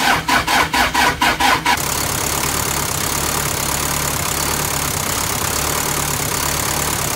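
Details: 1985 Toyota Dyna diesel truck, cold start after repairing the corroded glow plug relay contact: about seven even cranking beats, roughly two a second, then it catches cleanly and settles into a steady diesel idle.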